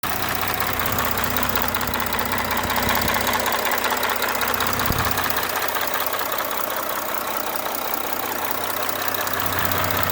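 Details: Audi B9 3.0 TDI CRTC 272 PS diesel, warm after driving, oil 78 °C, at idle: fine even ticking clatter with engine speed from the top end; owner asks whether it is the camshaft or something else.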